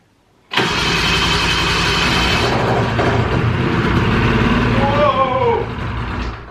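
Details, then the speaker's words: 2000 Ski-Doo Grand Touring 600 two-stroke snowmobile, left outside uncovered for at least 3 years, first start after carb inspection on full choke: raspy, uneven crackle, then revs sag and it sounds tired; rough running after cold start, idle set too low. "A little tired, but she's running. I think we're gonna have to adjust the idle a little bit too. A little low."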